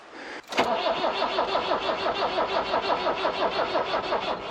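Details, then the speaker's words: 1990 Iveco Daily 35-8 old diesel, cold and humid at 7.6 °C, started with a booster because it otherwise won't start: brief crank, then a rough, uneven knocking idle at about three beats a second, struggling cold. "J'ai mis le booster en place parce que sinon il ne démarre pas. Et il fait 7,6 degrés."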